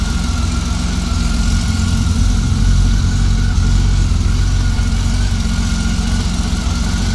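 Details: 1999 Honda Valkyrie Interstate six-cylinder after carburetor rebuild and synchronization; deep steady idle, smooth throttle blip falling back cleanly without hanging or nosediving, slow circuits seemingly slightly rich; normal throttle response.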